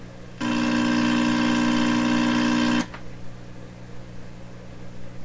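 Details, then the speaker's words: 1928 RCA Victor Model 28V radio under repair, signal generator input heard through signal tracer: steady low tone, harsh and buzzy where it used to sound clear; distorted test tone, cause being checked. "Hey, hey, hey, what's it sound like that for? It used to sound nice and clear here."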